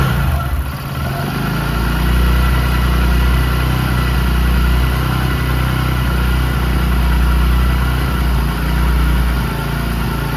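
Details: Discover 100 (BS3) single idling after timing chain replacement for a chain noise: steady, even thump with no ticking or rattle over it, a smooth healthy idle.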